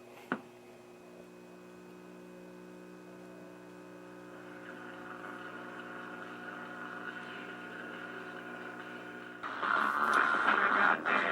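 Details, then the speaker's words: Admiral 17T1 tube TV on over-the-air channel 6 after control swap: steady low hum under thin, muddy sound despite adjusting rear controls and fine tuning; audio poor, faulty stage unknown. "I've been fiddling around with the controls on the back and the fine tuning, but the sound is terrible."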